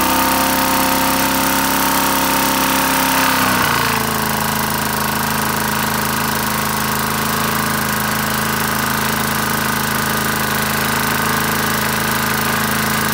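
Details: Briggs & Stratton mower engine that had been run with no oil. Its crankshaft was tight but freed up, it got test-run oil and ran without an air filter. Steady putter with a faint knock about three times a second.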